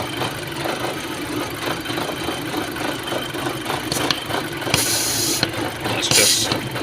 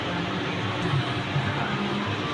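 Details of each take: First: 2006 VW Passat at idle with multiple misfires on every cylinder in live data: uneven, stumbling idle with a strong hissing suck at the oil filler; a vacuum leak through the failed PCV valve on the front of the engine. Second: 2006 VW Passat after replacing a PCV valve with a holed seal, which had caused misfires on all cylinders: smooth steady idle with no stumbles. It runs normally now.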